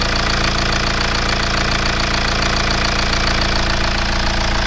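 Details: BMW E87 1 Series N47D20 177 hp diesel at idle after reassembly: no front pulley noise, running normally, internal issue still remains.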